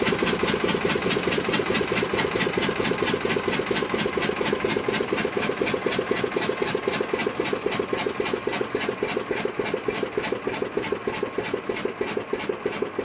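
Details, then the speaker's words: Witte diesel generator, first start in 45 years (ran late 40s to late 70s), after running all day before shutdown: steady even exhaust beats about four a second, clean mechanical clatter, no misses; healthy normal running. "so pretty pleased with today's progress all right she's been running all day we're going to shut her down now"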